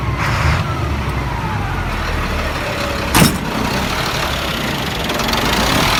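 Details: 1999 Freightliner diesel truck with hard start/no start and surging; heavy idle with a wavering, unsteady note and a sharp clack midway, blue-gray smoke under the belly box; owner suspects bad fuel pressure sensor, not confirmed; later stalls then idles fine.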